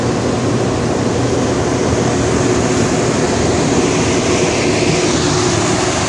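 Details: 400,000 BTU space heater burning red diesel, fuel pressure turned down from its kerosene setup, cold start: loud, even roar of burner and fan without sputter or surge; running normally.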